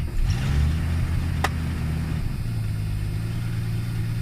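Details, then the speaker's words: 1986 or 1981 Ford Mustang (carbureted) cold start: owner holds accelerator 10–20% until shaking stops; low lumpy drone then settles steadier, engine runs rough and shakes when cold. Owner suspects the carburetor. "i hold down the accelerator until it stops shaking like can you hear that because if you can hear that you can hear it it's not right"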